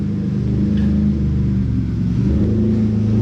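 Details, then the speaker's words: Cavalier V6 idling after its first start in 3 years, started with a NOCO booster after checking fluids: low, smooth, even idle with a steady purr and no ticks, knocks or misses. Normal healthy idle. "listen to that purrin I love a V6"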